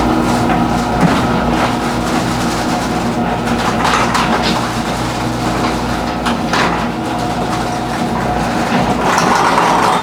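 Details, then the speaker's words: Six-month-old garage door opening under the opener's hum, before the fix: continuous rattly clatter from its stock hard plastic rollers in the tracks. "let me open it and you can hear those rattling sounds now that we found that most of the rattlings are coming from the rollers"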